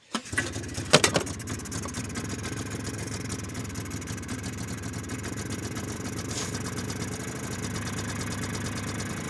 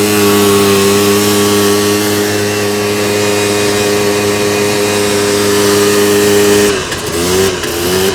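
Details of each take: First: 2001 Polaris Xplorer 250 4x4 two-stroke bought cheap: few cranks, then catches and runs ragged, uneven, smoking heavily, only on starting fluid; carburetor not feeding fuel. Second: 2001 Polaris Xplorer 250 4x4 two-stroke quad in high range, straight gas with working oil injection, after earlier bogging: pulls clean and strong at full throttle with high steady buzz, no bogging or misfire, brief lift-off.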